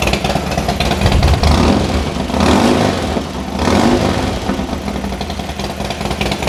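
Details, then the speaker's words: Harley-Davidson Dyna after a loose compensator bolt, suspected of slipping and causing a strange starter noise, was removed and refitted: the V-twin fires straight up, blips, and settles to an even, loping idle with no starter clatter; normal start and idle after repair. "sounds good to me sounds great"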